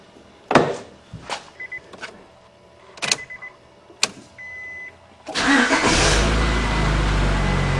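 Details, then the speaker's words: Honda Accord VTEC after timing and balancer belt replacement, covers off, test start: door clunks and chimes, quick crank, catches and settles into a smooth, even idle with no vibration; healthy. "sounds good to me no problems and no vibrations so I got those uh balancer belt on right too"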